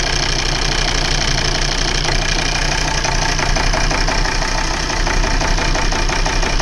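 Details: Volvo V70 2.4D P3 diesel idling with a lumpy uneven beat and shaking from a misfire; injector circuit open codes, misfire brought on by wiggling the faulty injector wiring loom.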